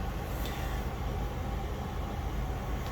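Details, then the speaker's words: Diesel heater in its second season, which once had contaminated fuel, running with the glow plug off and the fuel pump on. A constant low roar with a faint steady hum, no pulsing or rattle, as it burns evenly with the fan at high speed; normal. "you see now the glow plug is off and fan is running fuel pump is running but that is the only Power if you can hear so now the fan is actually ramped up in speed and it is already putting out warm air"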